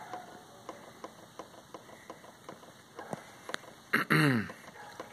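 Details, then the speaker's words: 2003 Aprilia Scarabeo 50cc DiTech scooter, oil pump bled with key on and throttle fully open after replacing a split oil line: quiet, regular light ticks about every third of a second; pump priming normally. "Oh, and there it goes. So now it started to prime, and you can see it there."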